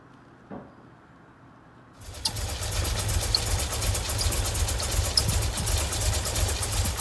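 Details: 1989 VW Vanagon 2.1 WBX after new fuel hoses and a new fuel pressure regulator: it catches after a short crank and settles into an uneven, lumpy idle. Owner suspects poorly seated injectors.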